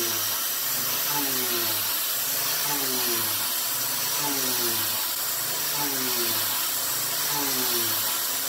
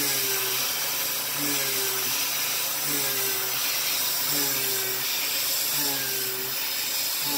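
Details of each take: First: Milling with a 3/8-inch 3-flute YG1 end mill: cutting tone sags about every second and a half as the spindle bogs down under too wide a cut; a narrower width of cut is suggested. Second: Mill cutting with a YG1 3/8-inch three-flute uncoated end mill, adaptive clearing at 0.060-inch width of cut, about 2.23 MRR; steady clean spindle tone with no slowdown or added noise, cutting like butter.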